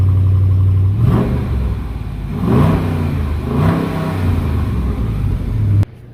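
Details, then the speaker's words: 2018 Dodge Charger R/T 5.7L Hemi V8 starting up right after an oil change (7 quarts): it catches and settles into a deep, steady rumble, with a few smooth revs and no knocking or rattle; a normal start-up. "So I've got somebody getting in it right now so you guys can hear what it sounds like when it starts up."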